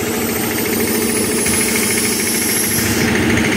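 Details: Air compressor that had a tak-tak tapping noise, run after being tightened and repaired: steady pumping beat around three and a half per second with no sharp metallic tapping; now running normally.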